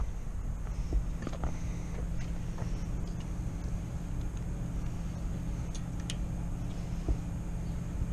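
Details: Kohler 725cc V-twin Pro Drive X Series surface-drive mud motor that threw its cylinder 1 connecting rod in 2012, now fitted with a makeshift filed non-steel key. A low, lumpy thumping idle with uneven firing beats: it runs on its one good cylinder.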